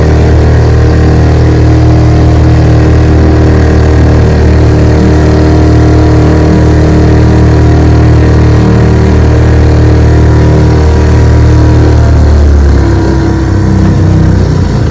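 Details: 1948 Johnson TD20 5 hp outboard, restored, lake-tested on a boat in choppy water: steady, even full-throttle drone with clean, unbroken firing over water and wind hiss; engine running healthy.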